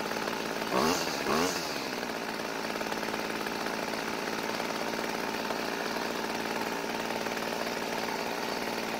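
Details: Old Homelite string trimmer, small two-stroke that had quit and wouldn't restart, after priming the bulb to fill the carb: catches after a couple of pulls and holds a steady, even buzz without stumbling; running properly.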